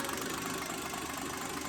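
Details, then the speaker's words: Toyota 2H diesel automatic with 12H-T R801 9.5mm governor injection pump, hybrid build, warming up: steady idle clatter with even rhythm and no missing or uneven beats; healthy idle. "I guess while we're getting this sucker warmed up, mate, just appreciate the sound of a good 2H."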